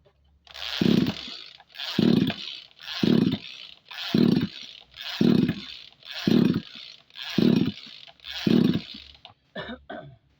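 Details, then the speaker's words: Tanika 20-litre engine sprayer, hard to start; spark plug good and plug cap refitted after being forgotten: eight steady recoil pulls, each a rasping whirr with no firing. Cranks but won't start; crankshaft and ignition checks come next. "Sepertinya kita harus membongkarnya. Jika masih tidak mau menyala, kita akan membongkar mesinnya."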